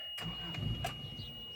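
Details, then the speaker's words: Owner's old car, running poorly with charcoal-black exhaust smoke before a Sea Foam treatment: engine cranks in uneven bursts and catches roughly; hard starting. "It don't like to start. You hear that?"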